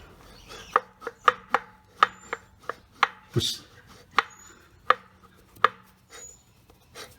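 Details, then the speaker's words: Old left rear wheel bearing from a 2015 Nissan Murano at 50,000 km, turned slowly by hand in its wheel. It gives uneven sharp clicks once or twice a second with a dry rasp while the new one stays silent; worn bearing, likely the cause of road noise. "besides the clocking just you can hear the noise that's making as i just try to rotate it like that compare that to the new one just i can't get that to squawk at all as i rotate like that"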